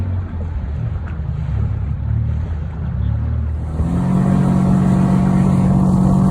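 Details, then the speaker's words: Outboard on a previously sunk flats boat, first run out, cold: sputters at first, owner suspects bad fuel, then clears after a few seconds into a steady, even higher note with no misfire; normal running. "Well, after a couple seconds, she finally cleared out and we're right out. I think she had a little bad fuel in her."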